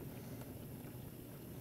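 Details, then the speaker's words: Frigidaire Gallery dishwasher in diagnostic test mode, still filling: soft steady low hum with water swishing as circulation motor starts; normal circulation motor start. "Sounds like my motor's starting to try to move around. Still filling, but I do hear motor. I hear movement inside."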